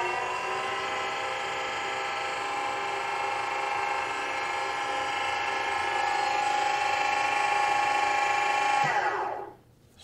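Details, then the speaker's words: JLG 4x4 diesel man-lift auxiliary electric hydraulic pump running with the tank low after 15 gallons of fluid were added. The constant whine shifts pitch partway through, suggesting it may be sucking up oil; this is not confirmed. "the pump is running and it sounds like it might have actually sucked up a little bit of oil because the sound changed there a little bit if you noticed"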